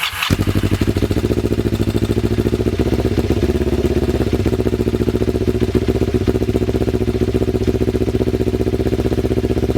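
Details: Ninja motorcycle engine recently revived, running outdoors before carburetor synchronization: steady idle with a regular thrum of about four pulses a second; any carburetor imbalance can't be told by ear.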